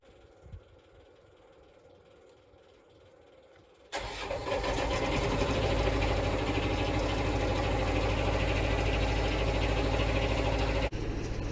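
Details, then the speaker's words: Yanmar diesel off-grid power source, cold start at −12 °C outside after the diesel heater warmed the building for about 2h40 to 26–37 degrees: quiet, then catches at once into steady even clatter, no misses. Healthy start and idle. "Power source fired up, no problem."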